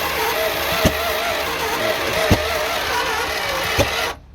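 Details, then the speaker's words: 1963 Chrysler New Yorker limousine V8, sat since 2003, just after correcting backwards firing order: runs rough and uneven with three sharp pops and fire from the exhaust manifold before cutting off. "Fire coming out the exhaust manifold. Go ahead. That's American muscle right there."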